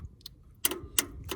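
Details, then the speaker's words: Tractor with new spark plugs and wires, choke engaged: sharp single clicks about three per second, no cranking; starter just clicks and engine won't turn over, spark present, owner suspects the solenoid, already replaced once. "we got it engaged in now it's just clicking now I've replaced all the spark plugs and the wires"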